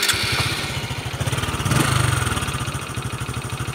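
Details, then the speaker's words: Honda Future 125 FI motorcycle, also slipping clutch: rough uneven idle thumping about three times a second with harsh top-end rattle, worse than Future Neo; cam chain tensioner noise. "Máy rất là khó chịu ha. Cái tiếng máy nó là không có bằng Future Neo được rồi."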